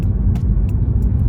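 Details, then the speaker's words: Tesla Model 3 driving over UK speed humps at about 20 mph: heavy road rumble with sharp scattered ticks, the door trim panels rattling. "so you can hear the rattling from the door panels"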